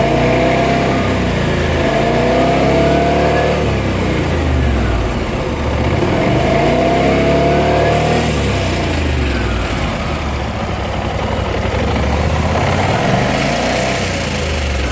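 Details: BMW C600 scooter twin idling and blipped, with a busy metallic rattle riding under the engine note; suspected timing chain noise, not confirmed.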